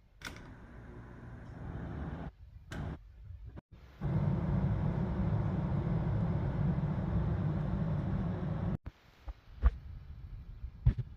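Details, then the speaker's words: HVAC air handler blower test with the service switch on and the thermostat off, during an AC-not-cooling check. A steady low whooshing rumble starts abruptly, holds even for about five seconds, then cuts off. Blower fan running. "Once I turn this to the on position, you can leave your thermostat off. You'll hear the fan turn on."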